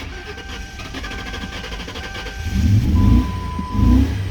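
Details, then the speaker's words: 2000 Lincoln Town Car 4.6 L, about a gallon added, primed pump: cranks then catches and surges unevenly with lumpy pulses; rough running after start, rotten-egg smell, cause not confirmed. "boy ooh do you run rough i'll go ahead we'll put some more fuel in here in a second yummy rotten egg smell"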